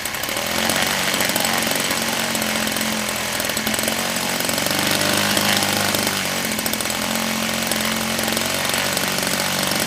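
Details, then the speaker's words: DLE 30cc two-stroke engine in break-in (about 15 heat cycles), warmed up and buzzing hard at high revs with a steady raspy tone; it quit instantly when tilted, with no fault sound beforehand; cause unknown. "Now we're going to do that strange tilt with Noticed as I tilted it that way, she quit instantly, and it's going to take a few."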